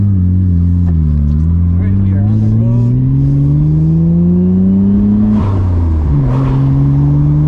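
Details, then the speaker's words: Nissan R32 Skyline GTR with a freshly rebuilt engine, doing third-gear pulls during remote tuning: a steady pull with a clean, rising tone and no knocks or misses; it accelerates normally and smoothly under load. "That feels great. Yeah, that's sick. That's so sick. That feels fantastic."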